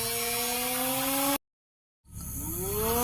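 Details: Cheap mini DC motor after repair of a broken terminal leg (one of its two +/− leads snapped): clean, steady high whine, briefly stops then spins back up with pitch rising smoothly; motor running fine after repair.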